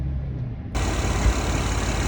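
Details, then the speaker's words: Recently bought Acura MDX with 30-day tags, idling: a low, lumpy, uneven chuffing idle. The engine is misfiring and backfiring, with a clogged, busted catalytic converter restricting exhaust pressure and leaking exhaust and mufflers. "Car is missed. It's not. Catalytic converter is clogged up. You can hear the noise, pressure."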